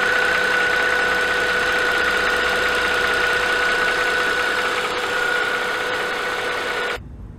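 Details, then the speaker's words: Mercedes-Benz M272/M273 V6 in an S211, warm idle at about 800 rpm after the oil pickup O-ring fix: an even, rhythmic metallic tapping of about four beats a second, likely top end, persisting up to about 1200 rpm. "however once the car is warm and idle drops down to 800 RPM very noticeable like rhythmic metallic tapping noise is still there um and that's present all the way up until like 1200 RP PM when the engine's just too loud"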